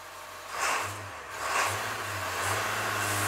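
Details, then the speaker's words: Diesel skoolie bus just switched from diesel to waste vegetable oil via a WVO Designs fuel system with heat exchanger: two short throttle blips settling into steady idle, no knock or stumble; runs on veggie oil, sounds slightly different. "it actually sounds like the engine is uh more lubricated right now it could be wrong it does have a slightly different sound of the engine I just got my foot on the gas"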